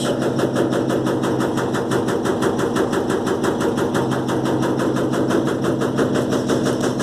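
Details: Electrolux LTE12 washing machine suspension test: a fast, steady rattle of about three knocks a second runs unbroken through the spin, pointing to loose or worn suspension. Rattling during spin.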